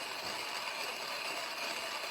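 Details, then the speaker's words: TIMEMORE Chestnut C3 PRO manual coffee grinder, 12 g beans: steady, even gritty crunching with hissy high-pitched texture, no knocks or squeaks; normal grinding. "You can hear how it's grinding. You'll hear when the grounds are down into the bottom. But this is not a 5-second thing like an electric grinder."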